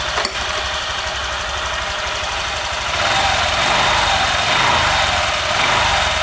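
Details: Honda Vario 150 LED (old) scooter idling after fitting a Cheetah Power TCI driver for the coil plus power-up feeding 12V to fuel pump and injector, standard settings: steady, even buzzing idle with bright tappy top end, no misses or knocks; running normally.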